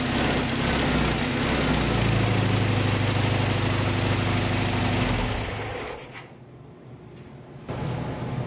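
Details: VW flat-four engine from a 1956 Beetle barn find, after 24 years unrun in a barn; smooth even idle with no knocks or rattles for several seconds before shutoff: normal healthy idle.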